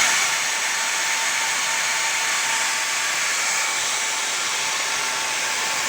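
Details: Old worn motor from a professional hair dryer used for several years, run before replacement: steady airy high whirr with a thin tone near 900 Hz and no low end; worn brushed motor with a blackened commutator.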